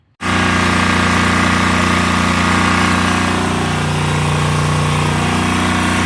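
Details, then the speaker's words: 2011 Land Pride zero-turn mower that sat for several years, now with a new battery and fuel filter; the choke cable is still stuck. The small engine catches and settles into a steady run, pitch wavering briefly mid-run, and keeps going without stalling. Running on its own power. "but she is running on her own power"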